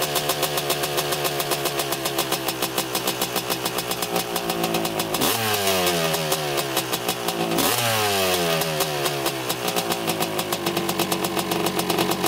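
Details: 1985 Honda CR250 two-stroke dirt bike on a quick test ride after cleanup, previously breaking up around three-quarter throttle: crisp crackle revving freely, pitch dropping cleanly through each shift and pulling back without stumbling; running great so far.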